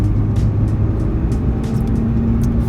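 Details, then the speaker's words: Mazda RX-8 at about 50–55 mph after quick fix for front hub bearing that caused road noise and vibration at 40–60 mph: steady road rumble, no growl or hum rising with speed; hub now quiet. "seems smooth 50 fifty-five so the range was about 45 to 55 or 60 years something like that"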